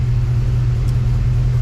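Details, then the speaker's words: 1955 Chevy Bel Air after tightening the power steering belt and replacing a noisy fan blade: a smooth low rumble with no belt or power-steering squeal. "no fan belt squeak or power steering squeak uh the uh fan blade itself uh no longer has the obnoxious sound"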